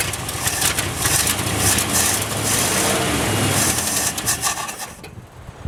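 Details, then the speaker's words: 1967 Chevy one-ton pickup, first start attempt: starter churns unevenly for several seconds without catching; no fuel arriving from tank, later run from auxiliary fuel tank. "no fuel Let's uh why don't we hook up an auxillary fuel"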